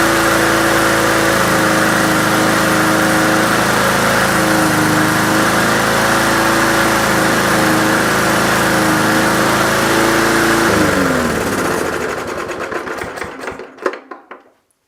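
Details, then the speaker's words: Briggs & Stratton PulsaPrime mower after carburetor diaphragm replacement for surging from a lean mixture: steady high drone without hunting, then winds down; no surging now, but engine speed is too high from an earlier governor spring adjustment and needs turning down. "as you can hear it didn't search so definitely running higher than it should be but that's because my adjustment that I made to compensate for the surging on that spring"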